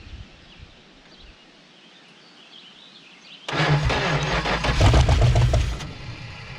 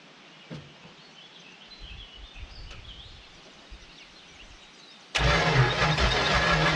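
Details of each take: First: 1970 Dodge Super Bee big-block V8, abandoned, fresh battery swapped in: brief crank, then catches and settles into a deep even rumble, sounding like all eight cylinders — normal start. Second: 1970 Dodge Super Bee big-block V8 pulled from the junkyard, fed trickle fuel in the carburetor: starter spins at an even rhythm with apparent compression but no firing pulse; crank no start, no spark, coil to be replaced.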